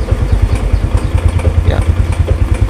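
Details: Motorcycle idling with headlight on during charging check: steady, even low putter with no knocks or misses; battery reads about 12 V at idle, normal charging range 13–14 V.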